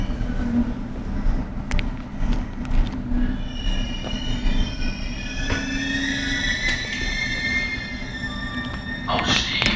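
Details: Abnormal brake squeal on a BR481 Berlin S-Bahn train braking into Flughafen Berlin-Schönefeld, the last stop: rolling rumble, then thin high squealing tones rise and waver for seconds as it slows; unusual for S-Bahn, cause unclear.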